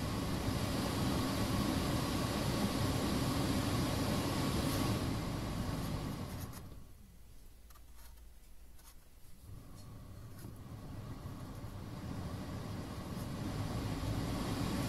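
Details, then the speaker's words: Lada Vesta cabin heater fan after repair for vibration noise, ignition on: steady airy blower whoosh dropping then spinning back up smoothly, no rattle or buzz; now runs normally. "сейчас даже приятно слышать звук вентилятора"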